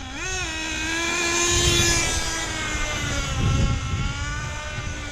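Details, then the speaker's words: Hobao VS2 nitro buggy after break-in, near the bottom of the tank, with the lid pushed down: a steady high buzzing idle with no secondary idle or pinging, then clean pickup on throttle; running as it should. "push the lid down B take a gas you hear it settle down that's good now this is what it's supposed to run like guys it's finally there"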